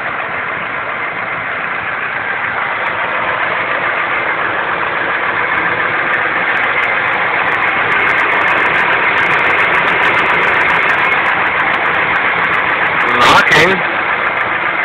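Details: Ford F-150 5.4 V8, 1999 (per speaker), idling steadily with a faint, fairly regular knock about three to four beats a second, possibly from down low; engine knock at idle, cause suspected, unconfirmed.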